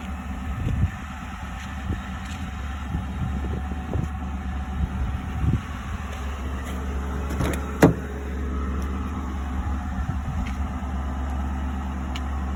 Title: Why does exhaust leak like that!